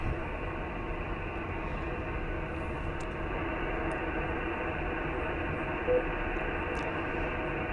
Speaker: quiet as a little quiet as a Little Lamb